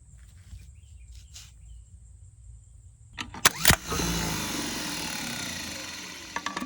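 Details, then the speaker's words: Replacement starter brought for a 1940s GMC 6x6 military truck, sitting 40 years, whose original starter spun slowly with little current through the solenoid: clicks then strong, steady, even whirring; spare starter healthy. "the starter I brought with me clearly has no issues watch"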